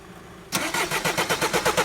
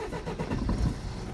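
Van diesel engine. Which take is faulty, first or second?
first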